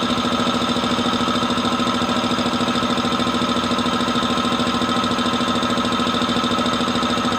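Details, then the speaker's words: Multipro VBC 300-1/125 OW air compressor on 180 V AC supply, filling toward 8 bar: steady even pumping thud with constant hum, no knocks or rattles; running smoothly and healthy. "Oke, stabil sekali ya, bisa dilihat pengisiannya dengan tegangan 180 volt."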